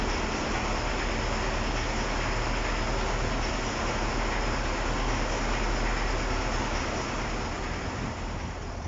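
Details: KamAZ-6520 chassis diesel idling just after first start following major overhaul; steady, even rumble with no knocks or misses, running in normally.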